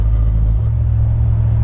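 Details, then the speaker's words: Dodge Ram 1500 5.7 L HEMI with a Carven progressive bolt-on muffler, cruising at about 1500 rpm: a deep, steady droning boom fills the cab, with or without MDS. It is too loud, so the muffler is removed. "So I don't know if the video picks it up very well, but that noise, that noise basically is ringing on your ears pretty heavily in the cab."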